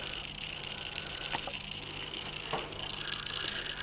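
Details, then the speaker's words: JR DS811 digital servo on a 6V 1200mAh NiMH pack with FrSky 2.4GHz telemetry receiver and JR X-3810 transmitter module: fast buzzy chatter with irregular clicks, servo jittering in place; older JR NES-507 analog servos show no jitter. "you can probably hear that he dancing around the table as he's jittering"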